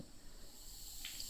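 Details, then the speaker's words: New Milton push-button safety air coupler on a hose reel, no tool attached: faint steady high hiss of air, likely bleeding past the coupler seal; a previous coupler started like this then leaked heavily. "it's hissing a little bit of air so that's what that other connector used to be like"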